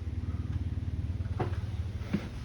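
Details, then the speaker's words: Office HVAC split system with no cooling after a thunderstorm, fan forced on by bypassing the thermostat: a steady low blower hum with light taps. The fan motor works, pointing to a storm-damaged thermostat. "i think i hear the fan yes i feel the fan if you can hear that the fan is running"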